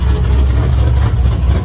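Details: LS-based V8 shop truck just after a Howard's Rattler cam swap without changing springs, new exhaust, not yet tuned for the cam, warming up; deep, loping idle with an uneven choppy beat, steady and strong, nothing knocking or ticking.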